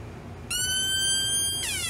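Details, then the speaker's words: Homemade siren-style oscillator built around 1972, first power-up tapping speaker connections directly: thin steady high whistle snaps on, then jumps to wavering, sliding pitch; distorted tone, partially dried-up electrolytic capacitor suspected, not confirmed. "not good that's not what I remember at all I bet this electrolytic capacitor is partially dried up"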